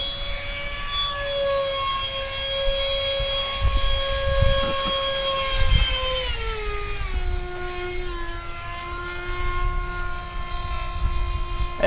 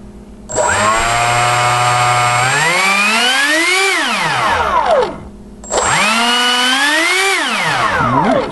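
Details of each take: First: Skyartec F-16 RC jet with an EDF fan duct rebuilt from a spray-can cap after a crash: a steady high fan whine dropping in pitch, with a faint rough edge at lower rpm. Slight fan imbalance suspected, not confirmed. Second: Skyartec F-16 RC jet electric ducted fan after crash, duct and motor mounts rebuilt from a spray paint can cap and hot glue, battery connected: fan whine climbs smoothly, holds and winds down twice, clean with no rubbing; works fine.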